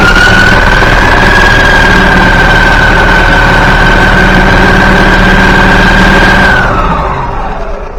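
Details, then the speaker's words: Yamaha G29 golf cart engine, rebuilt, after replacing cam and crankshaft to cure gear-timing noise: smooth even running with constant whistle, no knocking, clean wind-down at shutoff; the noise is gone. "So there you see that noise is definitely not there anymore."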